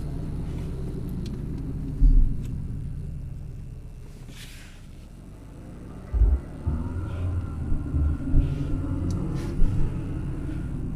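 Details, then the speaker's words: 2012 Hyundai Accent, 154,000 miles, check engine light and stalling complaint: low road rumble with about three short clunky rattle bursts over ten seconds while turning; source not pinned down. "Okay, no, because when I was turning earlier from the traffic light, there was a like loud rattling noise."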